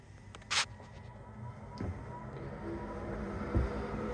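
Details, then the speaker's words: 1928 50-foot classic yacht Euphemia II, engine compartment ventilation: newly installed constant-duty cowling fans, switched on from a remote battery switch in the dash, give a quiet electric whir that builds smoothly over a few seconds with no rattle. "So like I said, I've got a switch, a remote battery switch in the dash, and when I turn it on, you'll hear the fans wind"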